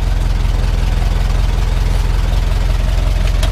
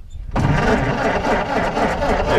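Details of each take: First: 1923 Ford Model T Touring four-cylinder after key set correctly and coil boxes working: low steady chuffing at a slow regular beat, no misses or knocks; normal idle. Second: 1923 Ford Model T Touring cranking with key in wrong position so coil boxes weren't buzzing: starter churns steadily but never fires; no spark, ignition switched off.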